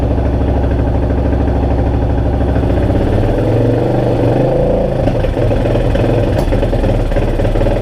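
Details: 2002 Yamaha XT600E single-cylinder: loud thump stumbles and goes uneven as revs rise and fall, firing not clean; engine misfire.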